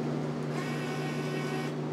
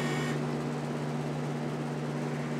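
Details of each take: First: Untested auction Miller CP-300 welder with new MIG gun: at switch-on the fan kicks on and the wire feeder's steady low motor hum runs on without stopping after a tap of the handle, because trigger hold was left on. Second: Miller CP-300 welder bought untested at auction, with a new MIG gun and an .045 tip fitted: steady, even low hum from the wire feed motor with no catches or speed surges. Normal wire feed motor running.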